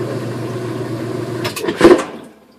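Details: Whirlpool washing machine after lid switch caps repaired with Krazy Glue (previously wouldn't spin or drain): even motor hum through spin, clunk and quick wind-down when lid opens; spin works normally.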